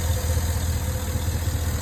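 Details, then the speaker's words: 2011 Cadillac Escalade 6.2L V8 with AFM, 178k miles, lifter tick, after Marvel Mystery Oil, Sea Foam, AFM disabler and intake manifold cleaning: steady smooth low idle, no ticking, slight shake, no codes. "I mean the engine does have a slight shape but I'll take that that's okay as long as it's not misfiring I have no codes"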